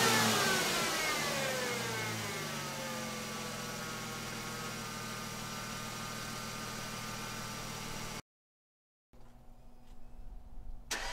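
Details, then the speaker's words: 2002 Ford Mustang 3.8L V6, 105k miles, stock exhaust, started before installing Pacesetter shorty headers: engine revs and settles with a raspy fast ticking puff on the exhaust note from the leaking passenger-side factory exhaust manifold. "it does have the uh factory exhaust leak installed so the passenger side manifold is leaky uh and you'll hear that in a moment when we start it up"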